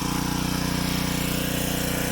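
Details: Gas pressure washer after CAT pump rebuild, first run outside; steady, even engine drone with quick regular pump pulse, no knocks or surging; running normally.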